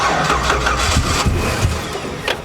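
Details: 1959 Chevy Apache, fuel pump heard pumping from a nearly empty factory tank behind the seat: sluggish, labouring crank at about three turns a second that never catches, with no firing; points to a weak battery.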